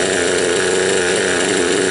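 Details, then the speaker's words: Raptor 30 RC helicopter two-stroke engine during break-in at high idle trim, low needle one turn out: uneven burbling four-stroking from flooding with an overly rich oil mix, smoothing out as the carburetor is leaned. "But then you can hear the sound of the motor and how it smooths out. Right now the idle's high and it's got a lot of flooding going on."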